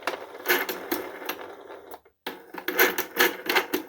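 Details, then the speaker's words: Hoover Encore U4595 vacuum during refurbishment, after reassembly and before oiling: sharp dry clicks and rattles, two or three a second, as the part is worked by hand; judged too noisy, then oiled with 3-in-1. The cause is suspected to be an unlubricated pivot. "So, ooh, I don't like that. That's too noisy."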